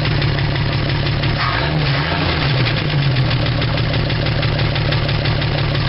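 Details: 1975 Dodge D100 slant six idling after cleaning points and a vacuum line: uneven stumble with periodic dips as one cylinder drops out. The replaced plug wires were crossed, number one lead going to cylinder two.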